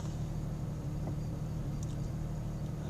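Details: 1999 Jeep Cherokee XJ at full operating temperature, idling at a stop sign in Drive (four-wheel drive), foot on brake: deep uneven idle with irregular stumble, tach needle bouncing; misfire later solved by replacing the ignition coil.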